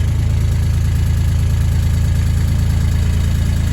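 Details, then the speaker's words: Bobcat UV34XL diesel UTV, about two years old, idling with the rider off the seat. Steady three-cylinder diesel idle with a light tinny rattle on each firing beat, about two or three a second, coming from loose seat hinges front and rear; not yet fixed. "See if you can hear quite a bit of rattling from these seat hinges, and this rear one as well at idle."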